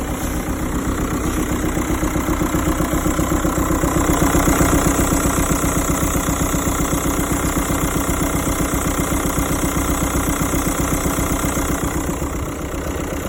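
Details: SEAT Alhambra 2.0 TDI 2006 manual diesel: even idle with a steady tick about four a second, locked to engine speed; owner doesn't know the source.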